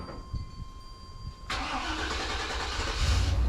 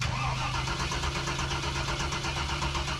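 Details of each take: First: 1994 Chevrolet K1500 Suburban just after a fuel pump replacement done without dropping the tank. It cranks briefly, catches quickly and settles into a smooth, steady low idle with no misses or knocks: normal start and idle. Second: 1994 Chevrolet K1500 Suburban: starter turns engine over in an even slow chug but it never fires; no fuel delivery from a failed fuel pump.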